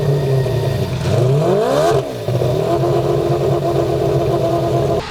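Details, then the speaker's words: AWD turbocharged four-rotor rotary during tuning: revs rise with whistles as boost builds and hiss under throttle; blow-off valves opening on acceleration rather than deceleration, possibly lacking springs. "They are. But opening on acceleration, not deceleration."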